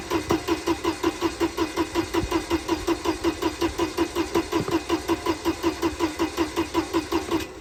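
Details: Mercedes-Benz 190E not run in about 7 years, with old stale gasoline, first start attempt: the starter churns evenly at about 160 strokes a minute for nearly eight seconds and the engine never fires. Crank, no start.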